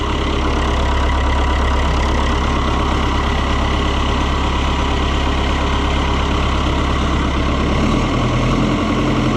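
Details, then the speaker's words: Oliver 1365 (Fiat 640) diesel tractor after the fuel leak fix, started with starting fluid: even, steady idle with a low smooth beat and no misfire; running and not leaking, though the charging voltage reads a suspicious 17.9 V. "Well, it's running and it's not leaking."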